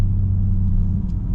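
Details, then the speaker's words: Car with custom titanium single-exit exhaust, titanium Y-pipe and ART cats, test pipes removed, regular driving shifting around 2,800 rpm: deep steady low rumble, even and free of rattles; healthy, slightly loud like a mild muffler delete. "Sounds perfect. Sounds like a normal car. Maybe sounds like a little muffler delete."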